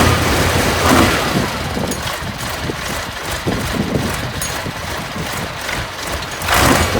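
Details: Junkyard Massey Ferguson 1155 diesel tractor, parked many years with a hydraulic issue, catches and keeps running with a rough, uneven clatter once fuel reaches the filters via the electric fuel pump.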